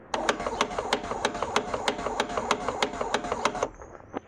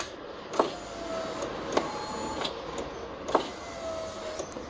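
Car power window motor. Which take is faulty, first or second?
first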